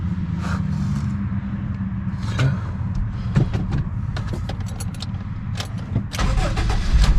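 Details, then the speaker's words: 2003 Honda Civic (code P1420) idling right after catalytic converter replacement, flange, heat shield and oxygen sensor wires reconnected: purrs like a kitten, low even idle, no exhaust leaks or ticking; the replacement did not fix the code. "turn like a kitten beautiful yeah i don't hear any exhaust leaks this sounds good"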